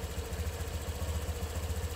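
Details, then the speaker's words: Honda Click V2 scooter, 112,000 odo, after full service with new water pump, new battery and rat-chewed wire fixed, check-engine light off: steady, even idle with soft regular pulse, no rattle or knock; normal idle. "Check natin. Start. Yun, oh. Yun, oh. Napakatahimik."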